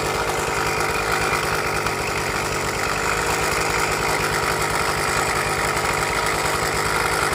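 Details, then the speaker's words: Suzuki Max 100 two-stroke motorcycle, cold start after sitting about 5 years during restoration, only carburettor cleaned and wiring reconnected: ragged buzzy idle with rattly uneven undertone; abnormal engine noise, engine not 100% OK, cause unknown. "Engine നോക്കുമ്പോൾ ഒരു 100% okay എന്ന് പറയാനായിട്ട് പറ്റില്ല. വണ്ടിയിൽ അബ്നോർമലായിട്ടുള്ള സൗണ്ടുകളും കാര്യങ്ങളൊക്കെ"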